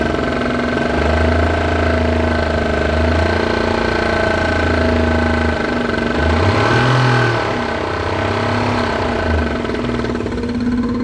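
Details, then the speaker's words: Nissan RB25 engine swapped into a 240Z, mic beside engine block: steady idle with a dull knock about four times a second; owner suspects spun bearing or snapped connecting rod, unconfirmed. "So I don't know if this car has a spun bearing or a connecting rod snapped."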